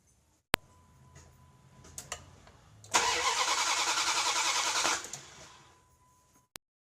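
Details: 1998 Dodge Durango 5.2L V8 with a crank/no-start complaint, cranked while test-lighting the ignition coil harness; starter whirs steadily about two seconds with even compression pulses but the engine never catches; crank, no start.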